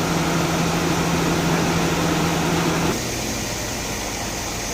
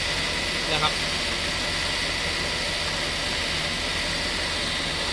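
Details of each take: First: Mercedes-Benz S280 A/C after repair (leaking refrigerant hose replaced, compressor oil added, new drier and O-rings), compressor previously noisy: steady even compressor and front electric fan hum with no rattle or grinding, slight dip midway, pressures 225–250; normal operation. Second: Mercedes-Benz S280 idling before repair, A/C not cooling, refrigerant leaking and low only two days after refill, cabin about 30°C: loud, rapid, high-pitched rattling whirr from the compressor running short of refrigerant; a leaking hose was later found.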